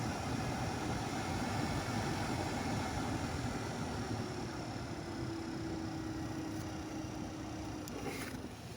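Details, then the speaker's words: 2012 Chrysler Town and Country front blower motor just replaced, tested before reassembly; old motor growled with a low-pitched bearing grind; new one gives a steady, even rush of air with no growl or grinding; sounds a lot better, normal. "make sure nothing was loose in there any leaves or anything it actually does sound a lot better"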